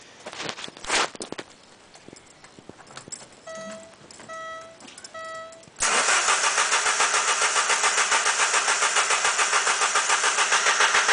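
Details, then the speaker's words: 1989 Alfa Romeo Spider after new ignition wires and spark plugs, spark confirmed at all cylinders: warning chimes, then even cranking about 3.5 beats a second without firing; owner suspects fuel pump, fuse or fuel pump relay. "I guessing it might be a fuel issue now something with a fuel pump or maybe a fuse to the fuel pump relay or something like that but anyways I'm going go ahead and crank it here a few times for you"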